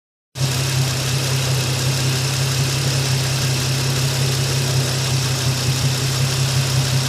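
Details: Nissan 350Z petrol engine at idle: light, fast ticking from the top of the engine over a low hum, rising and falling with engine revs; cause unknown.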